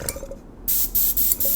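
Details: Airbrush connected to the compressor through a quick release, without filter: short bursts of clean, steady air hiss that start and stop cleanly, no sputter or pulsing; normal airbrush spraying.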